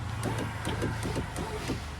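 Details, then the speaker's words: Peugeot 406 right front power window converted from module to relay control: low, even motor hum with light relay clicks as the window goes up; normal power window motor run. "Nah sekarang sudah pakai ini, jadi kalau kita gerakin ke atas, relay yang satu nyambung, ada suaranya ya, ke atas."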